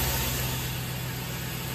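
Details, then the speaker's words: GM LS V8 with a squeaking noise and cylinder 7 misfire, running with cylinder 7 rocker pressure removed: steady low run with a slight lump from the dead cylinder; oil pressure is good and the cam noise is gone, confirming a wiped lifter and cam lobe on 7. "Okay, we have oil pressure. We're good that way. And no noise at all. The cam noise is gone."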